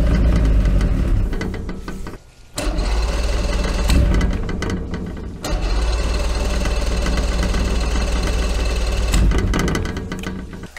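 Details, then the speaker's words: Force 120 hp two-stroke outboard, first start on two-stroke fuel via the key console: brief stumble, then steady, even drone with no knocking or misfire; runs healthy. "sounds pretty good to me"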